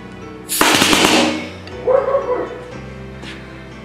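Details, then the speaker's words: Homemade full-auto PVC paintball gun on air compressor: fast, even string of sharp pops for about a second, then brief air hiss; cycles cleanly on full auto. "and here it is in full [Music] auto isn't that beautiful that is full auto"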